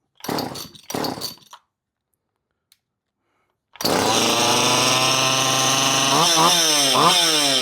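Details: Poulan 2500 Farmhand (same as 2900), first start after repair, before final assembly, oil flowing; on-off switch found wired backwards (normally closed) and flooded to stop: a few pull tugs, fires, steady buzzing idle, clean revs. Normal running.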